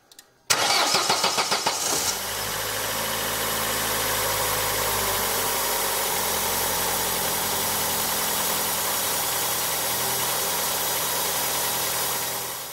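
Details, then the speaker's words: Opel Astra G 1.6 8V X16SZR (55 kW) started after a timing belt and ribbed belt change, coolant topped up: quick crank, catches in about a second, settles to an even smooth idle with no ticking or belt noise; "runs like a bee", normal start and idle. "Läuft wie eine Biene."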